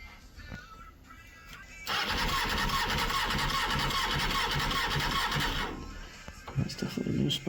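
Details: 1999 Honda Hornet 600, a recovered stolen bike with an aftermarket ignition barrel; the starter spins steadily about four seconds with no firing stroke. No spark because the anti-hotwire pink wire needs a dropped voltage, later fixed with a zener diode and resistor.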